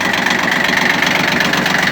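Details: Shibaura P17F 17 hp diesel mini tractor, 747 hours, glow plugs heated, cool outdoors, clutch released, tiller engaged: steady even fast regular beat with light tiller whirr; engine runs smooth and clear, no extra noises, normal under load.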